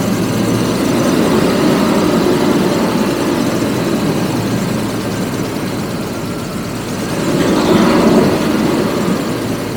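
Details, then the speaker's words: 1985 Jaguar XJS V12, first start after 30 years stored, some injectors confirmed working, no gauges: steady low idle with a lumpy, uneven beat and slight surging; several cylinders appear not to be firing, misfire. "I'm going to let it run for a minute or so see what happens see if it uh picks up or maybe we gain a cylinder or so"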